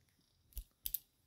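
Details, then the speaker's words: RockShox Recon 29/27.5+ fork, 100 mm travel, 110 mm Boost QR Maxle thru-axle, previously very loose, after tightening: quiet room, then a sharp click and firm double clunk as the lever closes; axle clamping solidly as intended. "now did you hear that did you hear that clunk that's the way the axle meant to sound"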